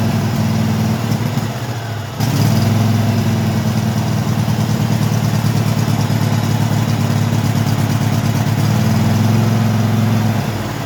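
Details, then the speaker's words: Craftsman hydro mower with Kohler V-twin, after carburetor cleaning and refitting the fuel pump: catches after a brief drop, then runs a steady, slightly uneven low thump. Still needs warming up and stutters off idle, though runs good. "It's still doing what it was doing with taking and needing warmed up a little bit, and it's a Kohler. These things are finicky at times, so you know, it is what it is."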